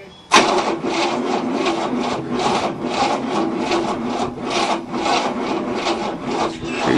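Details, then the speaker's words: 1967 Cadillac, not started in 30 years, on a second battery: the starter grinds slowly at about two turns a second without catching. There is plenty of spark, but it cranks too slowly to start; the jumper cable and battery were smoking. "oh yeah plenty of spark it's just not cranking fast enough to start"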